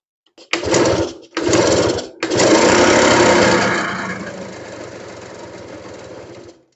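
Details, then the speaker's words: RC two-stroke motorcycle that only starts with fuel primed: a few sharp blips then revs sag and die, won't hold idle; owner plans to adjust air screw, cause unconfirmed. "เออมันเดินเบาไม่อยู่นะเนี่ยเดี๋ยวลองลองปรับอากาศเอามาอีกหน่อยนะครับึ่ง"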